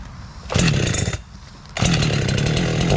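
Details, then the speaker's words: 372 chainsaw with a new tune and Hexa chain, bucking an old log: screams up to high revs in bursts, holds clean and crisp under load, four-strokes slightly out of cut; saw running properly. "We'll move on, guys. Saw's running good."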